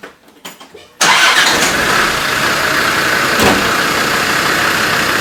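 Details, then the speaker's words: Land Rover after being repaired and left sitting for a while: it catches instantly and settles into a steady, even idle with no misfire, a normal start and idle. "that is fixed absolutely over the moon with that i'm pretty proud of myself for doing it"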